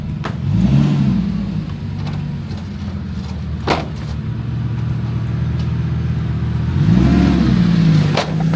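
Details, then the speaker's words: Lamborghini Gallardo E-gear after months stored in a trailer with a dead battery; E-gear warning shown and it won't shift past second gear, so it revs high and holds without upshifting; owner suspects a low-voltage malfunction. "now it says E-gear on the instrument cluster. Now the problem with that is the car will not shift past second gear."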